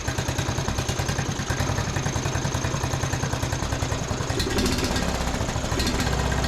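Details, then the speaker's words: Free John Deere D110 riding mower with earlier running issues, just started: small engine idles roughly with uneven pops and misfires breaking its chugging rhythm; carburetor bowl to be checked, cause suspected, not confirmed. "oh well started right up you can hear it popping and misfiring"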